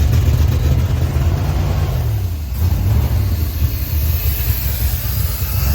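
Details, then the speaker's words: 1972 Dodge W200 Power Wagon V8, first run in years, around 40 PSI oil pressure: steady even rumble held at a raised fast idle; idle cam was stuck on its top step with a rusty screw, later freed. "That idle was stuck. Is that going? Yeah. Yeah, that idle was stuck."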